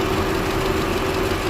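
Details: Audi A4 B8 engine idling with a cylinder 2 misfire: a slightly uneven, lumpy low pulse under a steady hum.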